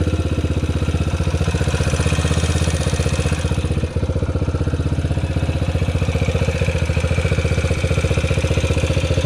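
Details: Yamaha TTR125 bored to 150cc with a ported head and a Mikuni VM24 carb, stock airbox, filter and muffler: steady single-cylinder idle with an even low thump and one brief dip; it stumbles and bogs on throttle, and the plug shows rich running.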